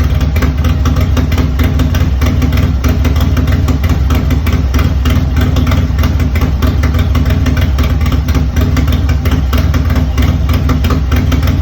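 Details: Milwaukee-Eight Harley-Davidson Road Glide after a rebuild fixing a ticking noise, with Feuling HP+ lifters, Zippers 468 cam, Feuling beehive valve springs and new retainers: idles with a deep, loping thump and no top-end ticking.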